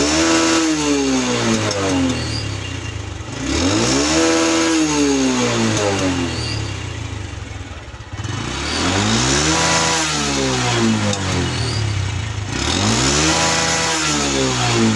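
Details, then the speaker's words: Honda Revo Absolute (Revo Fit), carbureted, non-injection motorcycle: repeated revs with sharp pops and bangs from the exhaust each time the throttle snaps shut, also occurs under engine braking on descents; exhaust popping on throttle release. "Oh ya, kedengaran ada suara bet saat gas dilepas, atau juga sering bunyi kalau lagi di jalan turunan ya."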